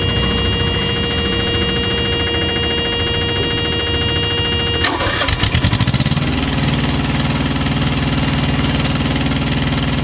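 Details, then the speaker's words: Thermo King Evolution APU (tri-pack) on a truck, heard from the bunk: a buzzing warning, then airflow as the small diesel cranks, catches and settles into a steady, even idle hum; a normal start and idle. "And then you'll hear a buzzing, and then you'll start to hear the airflow."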